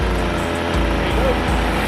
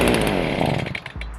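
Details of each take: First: Small two-stroke (Stihl BG55 leaf blower, FS 55 or Shindaiwa T242), cold on choke after priming: catches and runs rough, the buzz rising and falling as it settles; normal cold running. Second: Small two-stroke engine (Stihl BG55 leaf blower, FS55 or Shindaiwa T242) started on full choke with half tank: high buzz falters and sags within a second to a few weak firings; dies starved of air, turn choke off.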